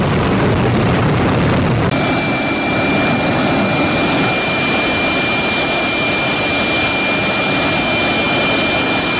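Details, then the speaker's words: GE LM1500 converted fighter-jet turbine (15,000 hp), propane-fuelled, in test cell, heard from behind and front at full power: deep even roar with steady high whistle, no surging or rattles; healthy, running well. "Okay, what we had there was an LM1500 at full power from behind and from the front."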